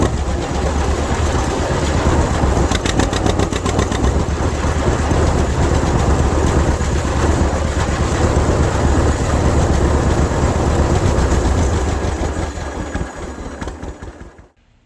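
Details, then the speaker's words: 1952 John Deere AH Hi Crop tractor, sat in a museum about 15 years and just revived, on a roughly 50-degree day, pulling a hill under load: deep, even two-cylinder chugging, no misses or knocks, clutch not slipping, a healthy engine. "pulled the hill that time. Clutch didn't slip at all. Tell you something else too. I love to hear these things run, especially under a load. Man, they sound good."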